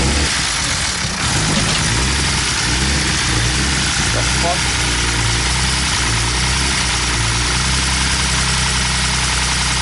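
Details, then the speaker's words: BMW E46 with M54 engine: harsh, loud idle with constant clattery top-end noise, like the loudest lifter tick, after the oil pump nut fell off during donuts, starving the engine of oil; extra oil didn't help. "so I brought it back here and I didn't run it much when it was running like that it just sounded like awful just like the loudest [ __ ] lifter taking the planet"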